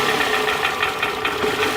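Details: 2007 Toyota Camry with a flashing check engine light, coil-pull test after swapping the cylinder 2 coil to cylinder 1; it runs drastically rougher and lumpier when the good coil is pulled, confirming a failed ignition coil, not the plug or injector.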